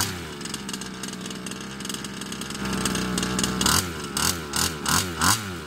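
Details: Baja 5B RC two-stroke engine with fresh fuel mix after carb cleaning: buzzes unevenly, revs surging and dropping in ragged bursts; running rough, carb or piston ring suspected, cause not yet found.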